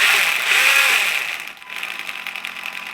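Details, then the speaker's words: PD Racing Minitron 1/16 RC car after fitting a replacement motor: high raspy whine under power fading as the motor slows; damage suspected inside, rear and motor area checked okay, front drivetrain being inspected. "that still doesn't sound great does it"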